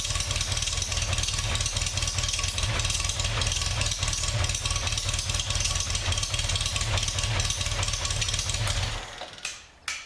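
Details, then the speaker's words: Swift FF95 Formula Ford first start from stone cold after fitting an electric lift pump in place of the mechanical fuel pump; it previously barely started. Catches at once and settles into a steady, lumpy race-cam idle with even firing and no misfire; normal. "thats pretty good pretty happy with that I think uh that started straight away really surprised with that"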